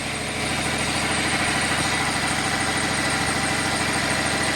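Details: Cummins 6.7 turbo diesel test engine, first run after flushing diesel and refilling with HythanolPLUS biofuel, residual diesel still in lines and injectors: steady even diesel idle clatter, smooth rhythm, no misses or knocks. Finding: normal idle.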